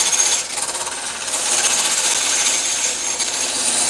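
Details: Wood lathe turning an out-of-round blank: rapid uneven scraping chatter about four times a second, bright and hissy, as it wobbles; normal chatter, to be shaved down until it no longer wobbles.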